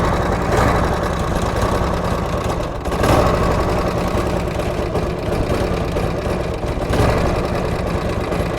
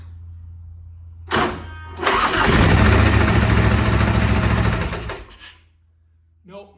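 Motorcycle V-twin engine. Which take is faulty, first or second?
second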